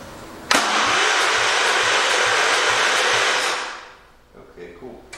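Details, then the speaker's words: 1971 Gravely 430 cranked with no gas and no muffler fitted, only to test the electrical system after wiring repair. Starter spins the engine at a steady, even rate of about two turns a second for three seconds; cranking sounds normal, no firing. "Let's crank it and see what happens. There's no gas in it or anything. It's just to see if the electrical system works."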